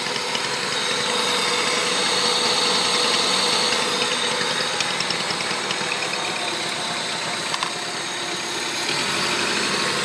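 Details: Honda Civic D16Z6 with replaced head, valves adjusted, timing belt correct: light quick ticking at idle, about three clicks a second, faster at high rpm, absent when cruising; owner suspects cylinder 4.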